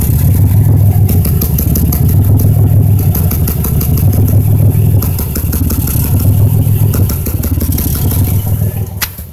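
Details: 2005 Impala 3800 engine at idle; deep idle surging and sagging about every second with an uneven stumbling beat; P0305 misfire persists despite new #5 spark plug, wire and injector, cause unknown.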